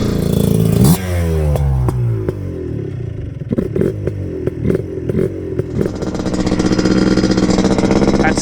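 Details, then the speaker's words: Yamaha Blaster two-stroke quad with a $100 Chinese top end kit, 260 main jet, stock pilot (about 32.5) and FMF pipe, held wide open in sand: crisp scream sweeping cleanly without bogging or misfire; normal wide-open throttle. "We're holding it wide open for pretty long periods of time, and we're in the sand, so this is not like ultra demanding, but this isn't the easiest territory to put a quad in, so I'm happy that the Chinese top end so far is holding up."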